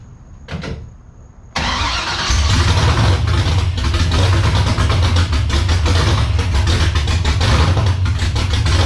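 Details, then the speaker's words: BMW E82 pro drift build, first start after ground-up rebuild: catches after a failed crank, then idles unevenly, rising and sagging, too low then too high. "I could not get the idle to stabilize. It was either too low, it was too high."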